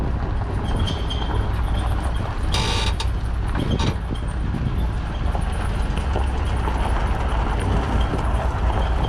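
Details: Tow vehicle pulling a trailer in dry conditions after the equalizer hitch bolts were retightened to 75 ft-lb (a bottom bolt was loose): steady road rumble with no clunks or creaks; hitch now quiet.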